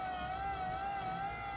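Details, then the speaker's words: Vauxhall electric power steering pump fitted to a Metro 6R4-style Subaru WRX build, switched on and barely run yet, not under steering load: a steady high jet-like whine at one pitch, no rattle or grinding, pump running normally. "Listen to it. Haven't really run it up too much. Jesus, it's like a jet fighter."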